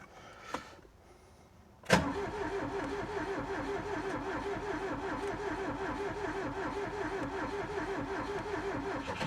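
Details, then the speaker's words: Ford Taunus Cortina fastback coupe, first start after 40 years parked in France, 40-year-old fuel, choke not found: click then labored, slow churning that never speeds up; slow cranking, starter suspected not good. "It's not cranking over too convincingly, is it? Could it have an automatic choke? Is that a thing? Starter's not good."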